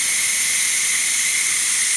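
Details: Ninja Foodi quick pressure release, gate fully open, after 20-minute pressure cook of baby back ribs; loud steady high hiss with no sputter or whistle, about a minute to vent; normal steam release.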